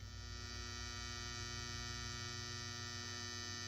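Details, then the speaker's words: Modified sine wave inverter powering an audio practice amp: loud, harsh mains-type buzz with many stacked tones, shown for comparison with a filtered pure sine inverter. "and just for a quick compare with a modified sine wave this is the kind of noise you would get in an audio application"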